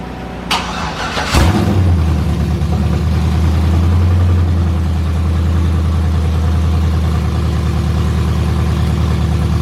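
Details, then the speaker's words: Truck V8 cold start on open long-tube headers, first start after header install with fresh oil and antifreeze: starter whirs, then a loud deep steady burbling idle, no ticking or knocking; sounds like an old-school truck, healthy. "that sounds kind of good I'm not going to lie like you can hear the it's going to sound like an old school truck"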